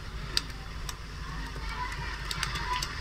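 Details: Ceiling fan after repair to stop its noise without changing the bearing: soft low steady hum with only a few faint light ticks and no grinding or rattle; the earlier noise is gone and it runs normally.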